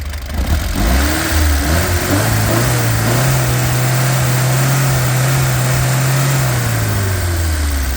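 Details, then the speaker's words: Freshly restored 1967 Alfa Romeo Giulia Sprint GT Veloce, 1600 engine, not yet tuned or timed: revs up and settles with a light fast ticking over the exhaust; tappet noise, buckets to be re-shimmed after run-in. "So you can hear it's a little bit tappety, and these engines are known for being a little bit noisy in the cams"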